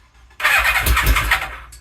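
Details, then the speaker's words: Suzuki Katana motorcycle after rewiring, carbs unclamped with leftover bench-test fuel, slight choke: about a second of fast starter whirring with a couple of weak firing coughs, no catch; cranks but won't start, owner suspects not enough fuel in carbs. "What? Alright, maybe not enough fuel in the carbs, so let me get my my IV. Definitely barked off a couple of times."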